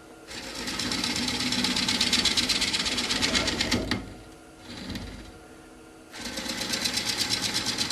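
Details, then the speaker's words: Woodturning lathe, first gentle passes on a bowl blank not yet round with a protruding bump: rapid, rhythmic on-off scraping hiss each turn, tool catching only the high spot; interrupted cut on out-of-round workpiece. "So when you make those first few passes, you can hear that it's not cutting all the way around quite yet. And that's when you can have problems. So I'm always I go very gently on these first few passes when we're still not quite in round."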